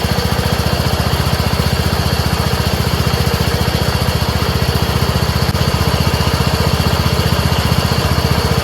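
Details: Craftsman 30" rear-engine rider mower after replacing a clogged fuel filter (not the carburetor; old fuel clear, no water): engine holds a steady, even chug at constant speed with no stumbling or surging, so fuel delivery sounds healthy.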